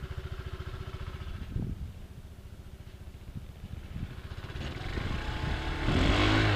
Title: Свист вариатора